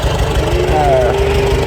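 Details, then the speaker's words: Farmall A tractor back running after 10+ years idle, new radiator, fan, belts, hoses; runs and drives well through all gears, good oil pressure, slight head gasket seepage; steady low chugging idle, even firing, no knocks or misses; normal idle. "But yeah, I'm I'm happy. It runs good, drives good. I went through all the gears."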